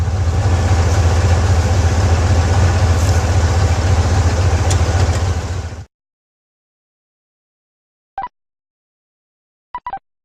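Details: Old vehicle "Sally" (weak battery) idling after a jump-start: a steady, even low idle for several seconds with no misses or knocks before switch-off. The engine runs smoothly.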